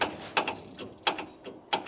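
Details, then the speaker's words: Massey Ferguson 135 tractor with Perkins engine and flat battery, key turned in neutral: repeated sharp click pairs about every 0.7 s, engine not turning over; starter clicking from flat battery, later jump-started. "So she's clicking, but not starting."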